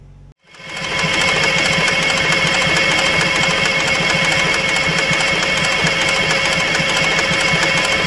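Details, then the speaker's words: Allis Chalmers 3500A military diesel generator, sitting for years, with a new fuel supply: steady cranking about four turns a second, never fires; only two cylinders got residual fuel, suspected not pumped from the new supply. "It's suspiciously like we're not getting any more fuel. It's almost like that fuel that we're getting was already in the system and probably didn't get pumped up there from our new fuel supply."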